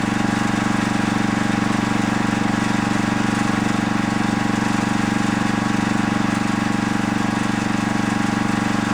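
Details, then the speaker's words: Coleman generator light with what is likely a Briggs & Stratton 8 hp flathead engine, low hours, running with no power output: steady low thumping about four beats a second, RPM well below governed speed; idle control solenoid suspected, not confirmed. "well we're not getting any the light not lighting up I just had it plugged in so I know the light is in the working and on position but couple things I noticed it sounds like the RPMs of it is very low"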